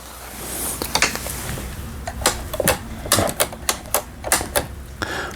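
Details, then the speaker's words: Pfaff Tipmatic 6110 sewing machine after repair, long left broken and unused, pattern dials still stiff, zigzag stitch on setting D/2: short bursts of crisp light clicking, even, no grinding or knocking; normal zigzag. "D번, 그 다음에 2번 지그잭 바느질이 되겠습니다."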